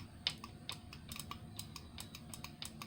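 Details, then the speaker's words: John Deere V-twin mower carburetor removed for cleaning: crisp, quick, irregular clicks as the fuel shutoff solenoid energizes and releases cleanly: fuel shutoff solenoid working. "you can do this just by turning the key on your mower because that's really all it's doing when you can turn the keys it's opening that little guy so that way it definitely shuts off when you turn the key off"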